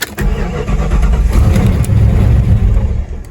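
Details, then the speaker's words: 1997 Jeep Grand Cherokee, key fob not working: engine cranks, catches and rumbles a few seconds then shuts off; faint slow clicking from horn relay under hood shows alarm activated, anti-theft shutdown. "it shuts off right away now again notice that we don't have any clicking in the dash here but if we get in underneath the hood and take a look it's very faint but you can hear it slowly clicking"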